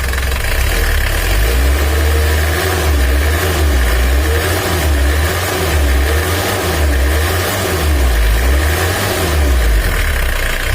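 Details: Mitsubishi L300 diesel with weak power and high fuel use, after timing belt work, still cold before adjustment: even, steady idle with a smooth low throb and no knocks or misses; healthy running.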